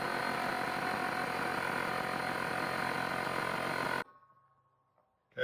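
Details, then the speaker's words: Trash-picked air compressor after fixing leaks and rebuilding the regulator: steady hard-running motor drone, then it cuts off cleanly at 150 psi with a brief hiss; regulator set to about 80 psi; fills and cuts out normally. "so kicked off at 150. I've got my regulator set to about 80 psi."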